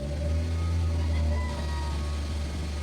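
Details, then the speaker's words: 2017 Kia Picanto automatic petrol engine revving up smoothly and settling back after a crank-no-start fix; scan shows no codes and no misfire counts, still needs full service due to oil sludge. "So 'yan. Wala naman siyang misfire na nagka-count."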